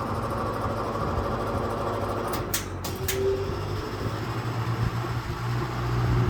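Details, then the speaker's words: Early-1950s Lasko-made Jet 20" box fan on low speed: steady buzzing hum with uneven growl instead of a clean whir; owner suspects worn bearings and a dancing blade needing fiber washers; abnormal motor hum. "And there's that funky motor noise I'm telling you about."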